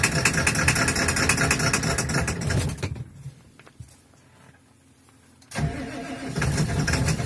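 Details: Ford 7.3 Powerstroke diesel at -35°C, third start attempt after glow plugs cycled over two minutes and overnight block heater: cranks, catches roughly, stalls, cranks again with uneven clatter; hard cold start, owner suspects bad injectors.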